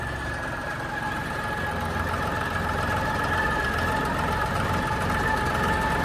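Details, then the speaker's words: Harvester at idle on morning start: steady humming drone with a faint ringing tone, present about an hour each morning and gone when clutch is pressed; owner suspects clutch, unsure whether release has increased, linings worn or clutch weak. "అది maximum పక్కా clutch సౌండే కానీ మరి clutch లో ఏమైంది release పెరిగిపోయిందా లేకపోతే నెగ్గులు పోయినాయా"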